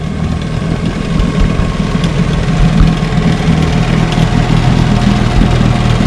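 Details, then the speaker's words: 1963 Johnson Seahorse 10 hp two-stroke outboard on test run after repair, on the water: even burble at idle with steady firing, no misses, knocks or surging; normal idle. "As you can see, I got her idling right here. She idles pretty good."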